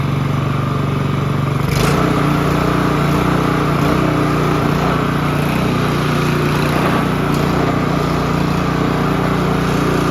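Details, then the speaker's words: Honda HRB215 push mower stored for years, restarted on choke after a missed part was reinstalled: catches and settles into a steady, even buzz at constant speed; normal running. "we're going to try this again now that that piece is back in let's see if it starts easier I'm still going to choke it"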